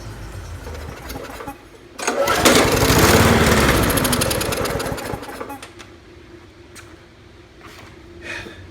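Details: 2012 Murray 20" mower with Briggs 300 series Classic engine, after freeing the bent governor linkage; tank and carburetor not yet cleaned. It catches and runs hard about three seconds, then sags and fades unevenly, not holding steady speed: rough running.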